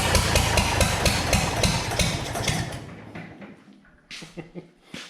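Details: Early Case 930 diesel tractor, believed 1960, new filters, final filter primed, no exhaust manifold: loud uneven chuffing about four beats a second, a couple of cylinders weak, liquid from one, then dies as diesel runs out.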